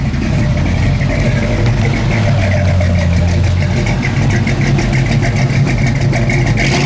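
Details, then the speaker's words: 1973 Ford Mustang Mach 1, factory Mach 1 with big-block V8 and 5-speed manual, revved briefly from idle: deep, lumpy idle, lazy rev and drop back, loud strong even exhaust note; normal healthy engine. "With this sounding exhaust, you are not going to surprise anyone with the horsepower. This ain't a sleeper."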